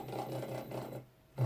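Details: Nema 17 stepper driving a 3D printer axis from a RAMPS 1.4 board in a dry run: steady, even motor drone with short pauses between moves, no skipping or grinding; normal stepper motion.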